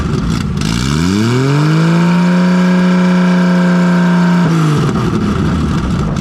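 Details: Nissan RB20 after fixing no compression in cylinder 5, traced to a lifter leaving the intake valve low. Loud open-exhaust engine sweeps up smoothly, holds a steady even note, then drops back, all six cylinders firing cleanly. Normal revving.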